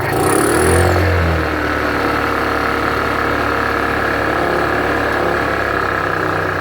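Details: Honda 2000 generator that would not run, tested after repair on a boat at anchor. It fires, briefly labours while flooding, then holds a steady even hum with no surging or missing; the repair is a success and it runs healthy.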